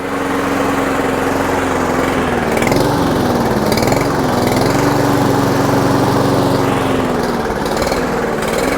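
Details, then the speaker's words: $125 Toro Super Recycler mower, baseline before Seafoam test, fuel of unknown age in the tank: engine pitch swings up and down every second or so; surging at idle, carb suspected dirty. "a lot of surging. She wants to run, but she ain't running right."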